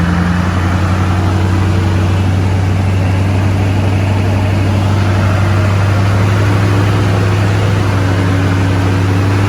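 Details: Freshly restored shorty Duramax diesel truck, first start-up after a complete frame-off restoration: steady, even idle with a deep low rumble and smooth, unchanging rhythm; no knocks or misses, no leaks, engine runs clean.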